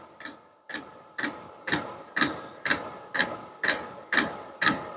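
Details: Vevor diesel heater, hot after running, turned to its lowest setting: crisp even clicks about two a second over a quiet background as the dosing pump ticks normally.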